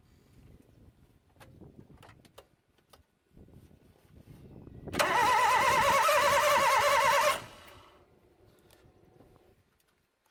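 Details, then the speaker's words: Toyota 1NZ-FE engine after LAVR ML-203 decarbonizing, plugs and coils reinstalled: about 2.5 seconds of even whirring starter cranking, engine never fires or catches. "двигатель у нас заводиться отказывается. Но ничего, как говорится, не хочет — заставим."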